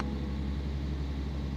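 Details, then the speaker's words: 2015 Rolls-Royce Wraith parts car being rebuilt, just started with key held, half interior missing so many faults expected, low on fuel: smooth, deep, steady idle hum with even low rumble, no knocks or ticks; normal idle. "still starts up it's going to have a ton of faults and things that we need to clear because half the interior is missing so that is understandable but it sounds good it definitely needs some fuel"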